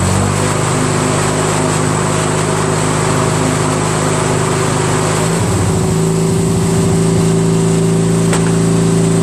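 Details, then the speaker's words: Craftsman DYT4000 with a 14hp Briggs opposed twin repower, electric PTO engaging the 3-blade deck with tension restored. Even drone, note shifts and sags briefly as the blades engage, then steadies. PTO and deck pull cleanly. Owner blamed stiff belts and under-lubed spindles. "how about that huh so it all work so can you believe that there was really nothing wrong with it"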